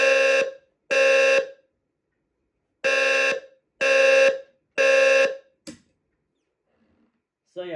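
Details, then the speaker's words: Wheelock low-frequency sounder unit, bought new in the box, during an alarm test: low, raspy buzzing tone in half-second blasts with uneven gaps; sounds weak and odd but is working normally. "yeah it sounds very weird it literally sounds like it's going to die but it's really not so yeah not the best load frequency Sounder"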